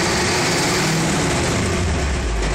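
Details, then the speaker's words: Idling bus engine with a harsh, gritty rattle when the clutch pedal is pressed, noise also in the shifter, pedal not fully returning and squeaky; bad pressure plate and loose clutch disc. "all right so clutch analysis you can hear making noise in the shifter and it sounds God awful when you"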